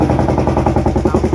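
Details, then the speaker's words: Royal Enfield Classic 350 UCE BS6 single, noise appeared suddenly while riding the day before per customer; hard rapid even knock about eleven a second loudly over idle. Abnormal internal engine noise before teardown. "এই গাড়িটা start করলে ইঞ্জিনে একটি sound আসছে।"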